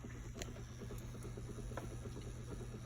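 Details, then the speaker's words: Watts Premier Zerowaste reverse osmosis unit's booster pump runs with a quiet, steady even hum after the solenoid plunger was removed, leaving the valve stuck open; water flows, and owner suspects the solenoid housing sticks. "I'm going to reconnect everything, and I'm going to show you how everything's going to start running. So immediately you hear the pump running,"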